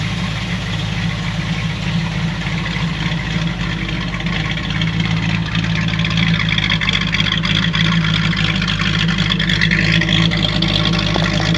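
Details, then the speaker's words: 1937 Buick Century with 400 cu in small-block Chevy, cruising on the road: steady, even engine drone with a little wind noise, no knocks or misses; running healthy. "it runs pretty quiet it's got a little bit of wind noise a little bit of wind noise but it goes down the road"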